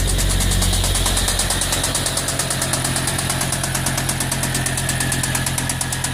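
Sharp, even ticking about three times a second rides over a steady idle; a clear knock from inside the engine, cause unknown.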